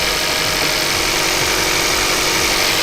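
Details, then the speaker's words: Kia Ceed GT (pro_cee'd GT) with cold-start misfire: with coolant temperature sensor bypassed/unplugged, engine idles steady and even with no misfiring at all; normal idle. "no misfiring at all literally none at [Music] all so pretty much if we bypass that cooling temperature sensor this car does not miss fire one bit"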